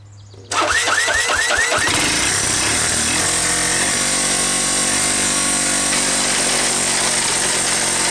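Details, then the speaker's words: Worn Honda ATC125 ATV single-cylinder, restarted after a death rattle and stall, plug not fully seated: fires up and runs with harsh, rough clattering grind over the exhaust beat; internal grinding noise, cause unconfirmed, engine likely needs rebuild. "well the good news is that it started the bad news is it sounds like i'm uh i'm chopping vegetables we're actually chopping something with bones in it"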